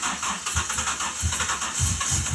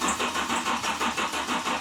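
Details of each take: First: GMC Typhoon sat 21 years, first start with 42 injectors fitted: freshly started engine settling into an even, regular idle with no rod knock; good oil pressure, mid-gauge, check engine light on. Normal running. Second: GMC Typhoon that sat 21 years, first start attempt: even cranking about four turns a second with no catch; fuel pump relay clicks but the pump gets only 4 V briefly, so no fuel pressure; crank no start.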